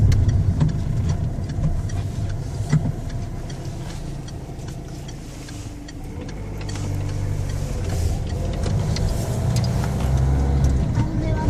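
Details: Engine running with an uneven low rumble and irregular knocking around four per second, dipping and rising; abnormal engine noise, cause unclear.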